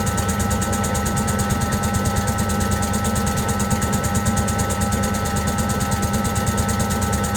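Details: Servis (Eudora) 386 compact 3 kg washing machine on spin: steady drum rumble with rhythmic ticking, about two a second, as it repeatedly retries to balance; spin comes late and short, an unbalanced spin with repeated balancing attempts.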